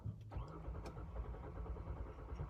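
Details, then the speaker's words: 2014 Kia Sorento 3.3 with no codes and a good battery: steady low rhythmic cranking churn that never catches. Suspected security/valet-mode lockout from remote start, a fuel issue or the brake switch; not confirmed. "some gas to kick it over i feel like it's trying it's definitely not want to start"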